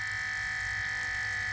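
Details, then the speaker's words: Water-cooled Goped scooter's new electric coolant pump (rated for 12 volts), primed, on a single 9-volt battery: even, steady electric whine with faint low hum, no rattle; sounds pretty good, though likely a heavy load for the battery. "all right sounds pretty good though"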